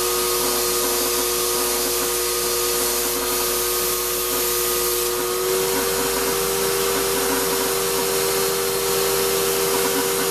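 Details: Shop-Vac vacuuming coarse tumbling grit gives a steady roar with a strained high whine and gritty edge; dust that went through the motor before a dust separator was fitted pretty much destroyed it, and it is not running well.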